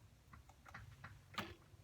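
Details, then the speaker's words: Crew Defender 700c entry-level fixed gear freestyle bike, new. The chainring-to-crank bolt hole is drilled too big, so the chainring slips on the crank when pedaling hard then backpedaling or skidding. Scattered dull clicks, then a sharper clack as pedal direction reverses. "You probably can't see that, but I can feel it. Let me go forward again though. You can even hear it slipping."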